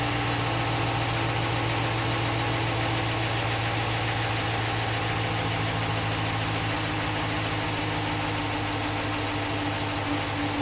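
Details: 2015 Ram 1500, stock 5.7 L Hemi V8, warm: steady, even idle with light quick normal fuel injector ticking and no knock, lifter clatter or Hemi tick; healthy engine.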